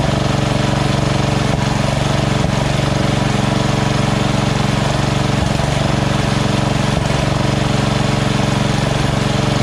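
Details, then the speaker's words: Lawn tractor engine at lowest idle setting after the surging carb was replaced with a Chinese-copy Nikki 590399, O-ring manifold and backward curved fuel nozzle: even idle, regular beat near four pulses a second, no hunting or surging. "so this is on the lowest idle right here go even lower if i wanted to that's it that's the highest so awesome"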